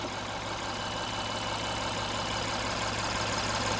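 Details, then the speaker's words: 2016 Honda Pilot 3.5L after repair of a P2652 rocker arm oil pressure switch fault: steady, even, smooth idle with no misses, knocks or ticks, and the engine revs cleanly. Normal idle, fixed. "I rev the engine the engine revs great the idle sounds good this is what I was expecting okay based on how this engine sounds I can tell that it's fixed"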